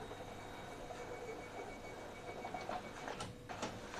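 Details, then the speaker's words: Epson L15160 printer after timing belt replacement, printing a test run: quiet light clicking and soft whirring of paper feed and carriage, no grinding or rattling; feed sounds normal, not too noisy. "suaranya Masih normal enggak terlalu berisik"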